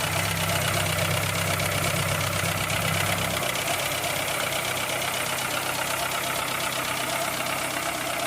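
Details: 2003 Citroën C3 petrol engine, bought used four months earlier, not overheating and not losing oil: fast, light metallic top-end ticking at about 160 per minute over a steady idle, cause unconfirmed.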